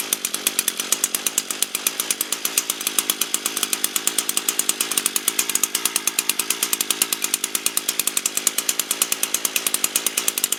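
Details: Echo string trimmer after a no-start traced to a dirty, fouled spark plug, primed and run at mid throttle: crisp, even two-stroke buzz with steady firing and no misses or stumbles; running healthy.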